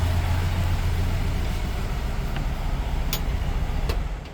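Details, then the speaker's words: 1959 VW bus, 36 hp air-cooled flat-four, Bosch starter cleaned and refitted, battery recharged: even, low chuffing idle with a steady beat, then winds down and stops cleanly at shutdown. Healthy running. "But I did charge it up enough to get the bus started, and as you can hear, it's purring like a 36 horsepower kitten. Pretty much fired right up. So here, let me turn this thing off."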